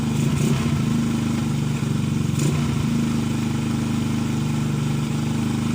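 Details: Motorcycle single-cylinder engine that starts hard because a sunken valve leaks compression: steady idle with a dull, slightly uneven chuff over street noise; the valve no longer seals.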